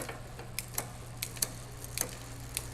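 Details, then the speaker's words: Magnum Navigator electric bike during assembly, pedaling while shifting one gear at a time from 8th (smallest cog) to first and back: soft clean clicks, no dragging or extra noise; normal factory-adjusted gear shifting. "As is the case, it's adjusted perfectly from the factory. No dragging, no extra noise. Each shift happened perfect."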